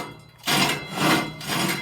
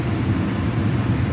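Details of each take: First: Carrier HVAC blower removed from its housing and turned by hand: rough, rasping scrapes in slow surges as the bottom of the squirrel-cage wheel touches the housing, bending the blade edges. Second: Carrier HVAC blower after rattling repair, cage refitted: steady, even low hum with no scraping or rattle, blower wheel spinning freely; normal blower operation, no sound now.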